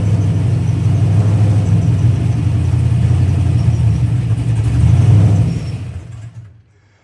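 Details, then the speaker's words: Pontiac GTO, warm, being tuned: after a rev, easing back toward idle, the idle compensation makes RPM fluctuate around 1500, then the engine sags and stalls. "once I get it down to where it's around 1500 RPM. the the idle compensation starts trying to take over and it starts to fluctuate up and down in RPM and then uh once I back off the gas and it just goes ahead and dies."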